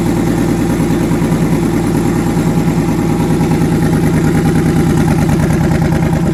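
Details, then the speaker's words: Twin-turbo V8 truck, first start after conversion, oil pressure near 70 psi, head gaskets done last year: loud uneven idle with repeating skipped beat in exhaust pulse; back cylinder dead; single-cylinder misfire. "yeah I was trying to show you guys with that cloth that the pulses on this one there was like a skipped beat where this one felt constant"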